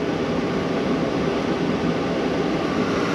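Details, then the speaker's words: 2012 Chevy Malibu, about 86,000 miles, warmed up, heater blower on highest setting after blower motor resistor replacement: steady even rush of air at full speed, no rattle, squeal or wobble; healthy. "I set it to the highest level you can hear the fan blowing"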